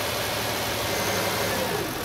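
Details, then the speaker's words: Hyundai Grandeur/Kia Opirus idle after fan belt rerouted straight past the auto tensioner: smooth even drone, no flapping or rattle; tensioner moves slightly, far less vibration than before; normal belt tensioner operation. "It vibrates a little, but it's not as bad as before, right? The auto tensioner moves a little without vibrating"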